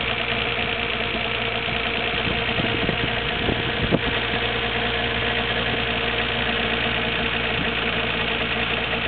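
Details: Nissan Skyline GT-R R33 at 86,800 km, water pump and timing belt recently replaced: about a minute after the day's first cold start, an uneven churning rumble at idle that lasts about a minute and vanishes once warm; cause unknown to owner.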